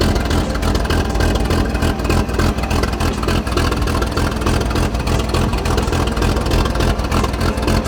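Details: 1944 Chevy Blitz WW2 army truck, restarted after its first start in 30 years and a radiator fill: the engine ticks over with a deep, fairly steady throb and no misses or knocks. It is idling normally and running better.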